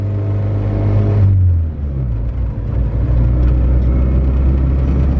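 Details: Honda Civic EG coupe with B18C1 GSR engine on dyno, light-throttle cruise pulling away off clutch: low smooth drone with no misses or stumbles; running normally, air-fuel slightly lean.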